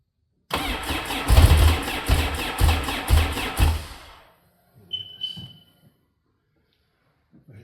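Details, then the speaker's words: Sea-Doo RXT first start attempt after a rebuild, on a jump pack after a weak battery: about two heaving cranking pulses a second for three seconds with a few catches but no sustained firing; the fuel pump is heard running. "Key. There goes the fuel. Oo, so close. Come on, baby. Almost. Little bit more."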